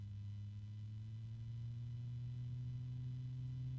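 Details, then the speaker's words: Blue Star PC case fan, claimed whisper-silent, at slowest starting speed: steady low hum with faint overtones; already noisier than a silent fan should be. "It's a very low-pitched noise, but it's there. A little bit of harmonics."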